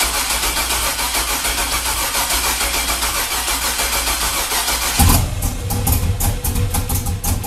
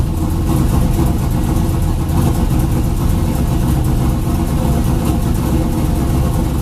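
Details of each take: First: 2000 Chevrolet Camaro, junkyard 5.3 LS turbocharged, 1000cc injectors, on jump box with dead battery: starter churns in steady rapid rhythm but engine never catches; incorrect manufacturer injector data caused the no-start, later fixed with better data. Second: 2000 Camaro with a junkyard 5.3 LS, TH400 and a turbo kit, 1000cc injectors with corrected injector data, fuel taken out, throttle body opened more: it starts right up to a deep, smooth, steady V8 rumble. Normal idle.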